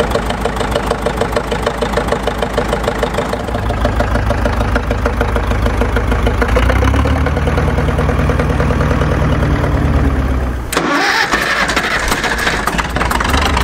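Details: Caterpillar D4 7U dozer with HT4 Traxcavator loader, rescued from a pasture after many years idle, first start after fitting a new starter and solenoid: diesel catches with a steady, even clatter that gathers pace and settles; normal start-up.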